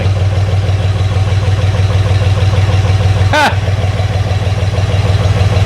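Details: 1963 Jeep CJ5, warmish, after the big vacuum leak was found: low, even idle rumble with a regular pulse, no hiss or stumble; engine now holds a smooth idle.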